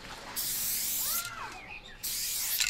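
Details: Spray paint cap test on a can: two strong, even bursts of hiss with a full, steady spray and no sputter; the cap works well.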